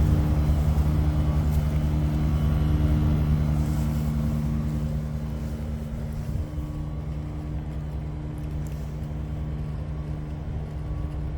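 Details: Daikin ERLA 11 kW heat pump running with a heavy steady low buzz well above the normal running hum.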